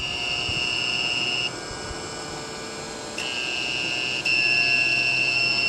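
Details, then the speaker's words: Inverter on a recovered lead-acid battery, running a fan, voltage dropped below 10 V: shrill on-off alarm over steady fan whir, inverter motor slowing; low-voltage alarm from weak battery. "You can hear the inverter running and the alarm running on the inverter because the battery is really not putting out a whole hell of a lot."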